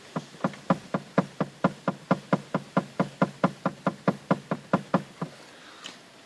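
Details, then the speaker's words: Lada Priora (VAZ-217030), dull knock in right corner of dash: rocking the heater hose gives steady dull knocks about twice a second that stop when released; loose heater core in its housing, fix by refitting with insulation. "Всему виной радиатор печки вот сейчас я вам продемонстрирую немного подводим к шланге печки и болтаем её вверх-вниз"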